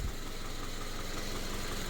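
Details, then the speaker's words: Subaru FB engine, after a no-oil-pressure fault: pan refitted, it holds a steady, even low idle with no knock or tapping after an hour running. "I've been running this thing for an hour now even after all those metal shavings that we saw I mean like I said we got we got the oil pan back up and you know we're running we're chugging along we're fully running"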